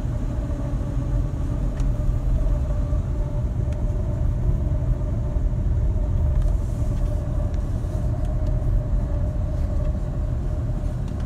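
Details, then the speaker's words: Hyundai ix35 driving at constant speed: steady mid-pitched hum from the front over road rumble, unchanged after replacing wheel hub bearings; cause unknown. "ну вот как вы видели звук никуда не ушел подшипники поменяны звук остался в чем причина я понять не могу"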